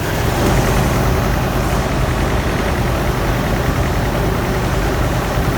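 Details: GMC 2.8L four-cylinder truck engine at idle: deep, loud idle with an uneven, loping pulse and a missing beat. Cylinder 3 misfires from an ignition coil broken during a timing chain repair, with no scan codes, then it fires on all cylinders.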